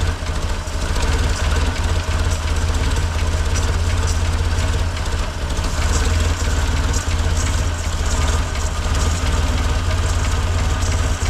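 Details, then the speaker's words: 1958 Lull telehandler/cherry picker, parked 15 years with a fuel issue, idling rough and loud with a steady low chug and faint rhythmic knock; it runs only on choke and dies when released. Lean mixture suspected, not confirmed. "here's the problem I'm having to be the carburetor for the carburetor if I let go of this it dies but at the same time if I fix this then it won't idle up because it has to have the fuel to air mixture"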